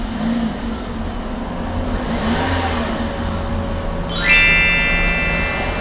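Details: Used Toyota Yaris, about 5-6 months after purchase, after water pump replaced to cure a loud engine noise: even, quiet running swelling smoothly when revved, no knock, whine or rattle; noise gone.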